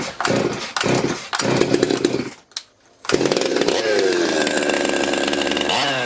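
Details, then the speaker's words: Stihl MS200T chainsaw after rebuild (stripped bolt holes fixed, years of wear): a few quick pull-starts, a brief pause, then it catches and settles into a steady, even buzzing idle. Normal running. "You guys wouldn't think there was a thing wrong with that."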